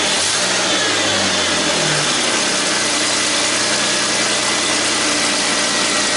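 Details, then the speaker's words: 2001 Ford Mustang V6 automatic after engine swap, running after hose replaced: smooth, even idle with brief blip, good oil pressure, no knocking or smoking, though temperature gauge never moved; normal idle. "we got the car running 's good good oil pressure the motor's not knocking it's not smoking so I'm thinking this should make her a good engine"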